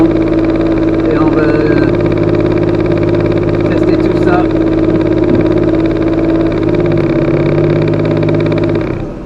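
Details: Pontiac Fiero idling after alternator rebuild (cooling fan had self-destroyed during a race), reinstalled; warning lamp lit then started, charge checked with multimeter, voltage dropping normally at idle; smooth even idle, steady low hum, no knocks, whine or squeal; normal idle.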